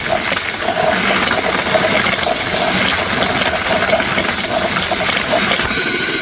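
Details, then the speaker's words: New cordless Ryobi 6-gallon wet/dry shop vac, hose still clipped to the top, vacuuming small wooden toys off the floor: steady rushing whoosh, even motor hum, debris rattling through the hose; normal strong suction. "okay that was I don't know I don't care who you are that was impressive I still had it clipped to the top of the vacuum and it took all that out"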